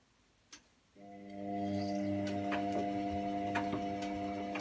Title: Wash and spin and clicking noises